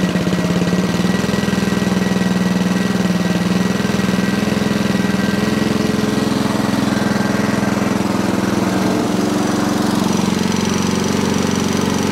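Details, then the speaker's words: Sovereign lawnmower: the engine runs with a steady low drone and never climbs to full speed; underspeeding. "okay still not revving as high as i would like"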